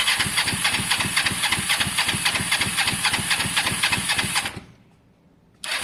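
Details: Motorcycle under rebuild (Honda SH125 or Kawasaki ER5): four seconds of steady starter cranking at about four compressions a second with no firing, then it stops. Cranks but won't start; caked, hand-tight spark plugs are suspected despite spark and fuel being present.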